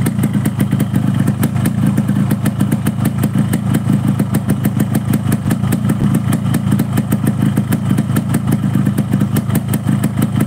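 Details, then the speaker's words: Two-stroke RX-King motorcycle idling at about 1500 rpm: an even, steady popping beat with no hunting or stumbling. A normal, healthy idle. "jika motor riking kamu pagi-pagi dibunyikan atau habis parkir dibunyikan dengan stasioner 1500 RPM kira-kira ya Ini motor tidak naik turun maksudnya suara mesinnya deng deng deng dengnya itu stabil ya teman-teman"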